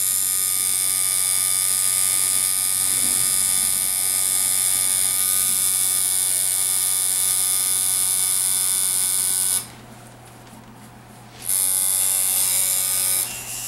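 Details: Ground Zero Bullwhip coil tattoo liner (L-0003), hand-tuned, running while tattooing small detail; steady, even electric buzz with a clean hum underneath, briefly cut off mid-run; well-tuned machine running smoothly.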